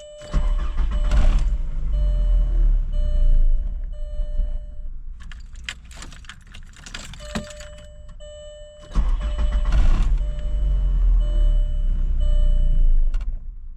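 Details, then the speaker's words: 1999 VW Golf MK4 2.0, sat two weeks, misfire codes P0300/P0302/P0304: fires, runs a few seconds, fades and dies, restarts and sags again; stalling from faulty mass air flow sensor. "All right, first it did that. It would start, then die."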